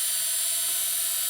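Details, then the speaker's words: Salvaged washing machine motor run free on 12 volts from an old, low leisure battery: high, steady fast whine with no knocking, grinding or surging; bearings at each end, normal free running. "And as you can hear, it's got quite a speed and quite a, well, I can't stop it, on just 12 volts."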